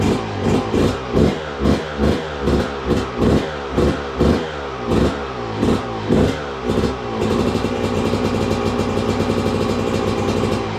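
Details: 2002 Yamaha YZ125 two-stroke that sat a long time, first run after cleanup with choke on: crisp blips about two per second then steady high idle, no knocking or clatter; crank sounds good, running healthy.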